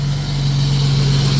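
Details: 1989 Jeep Cherokee XJ Renix with intermittent fuel pump cut-out stalling; idling with fuel pressure gauge on service port, even steady low drone; pressure about 30 psi at idle, 39 with regulator vacuum line off, pump and filter judged fine.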